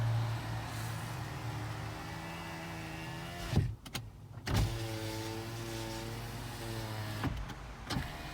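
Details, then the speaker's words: 2010 Toyota RAV4 driver's window after silicone grease on the rubber: steady, even motor hum about three seconds each way, no grinding or chatter; much faster than before, normal power window operation. "All right, let's do it one more time. Go up and down. Wow, much faster. Much faster. Much faster."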